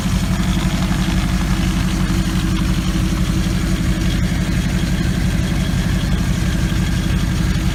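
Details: Maserati GranTurismo at warm idle: steady low drone with a faint irregular pulsing; a strange noise from around the transmission area appears only with the engine fully warm, not cold; cause not yet determined.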